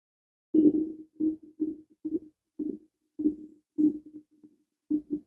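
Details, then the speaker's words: VW Golf 4 1.9 TDI 130 after a thermostat replacement, refilled with pink G12 coolant in a self-bleeding system; soft, uneven bloop-bloop gurgles as air bubbles rise out of the coolant during the bleed. "Je sais pas si tu entends les bulles qui remontent. Du coup, là, ça fait plus de bloup, bloup, bloup, bloup, bloup. C'est que ça doit être bon."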